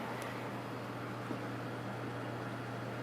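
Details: Backup server during drive expansion, fan recently replaced with a white fan, at boot: steady low hum with even fan whoosh, no ticking or rattle; fans running normally.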